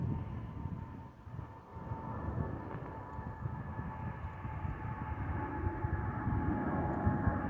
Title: Delta Airlines Airbus A319-114 N349NB DL2913 ALB-DTW (FOPP Whistling Sound)